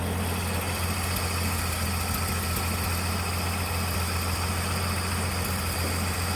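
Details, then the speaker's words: 1979 Ford High Boy truck after carburetor mixture screw adjusted (backed out a quarter turn): steady, even idle with firm low rumble, no hunting or stumbling; now sounds better, normal idle. "we'll give it a quarter and see if it helps anything turn already sounds better let's go Revel a little bit"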